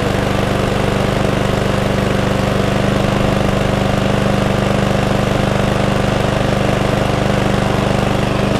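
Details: Cheap mower, after fuel tank flush and carburettor clean (previously would not stay running): loud steady single-cylinder putter at constant pitch, no stumbles or surging; normal idle.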